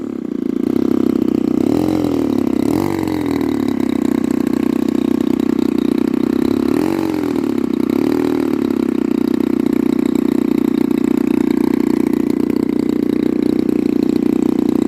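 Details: Pitts S2C aircraft engine with smoke system: steady drone stumbles twice with uneven pulses; misfire caused by a faulty smoke-oil nozzle.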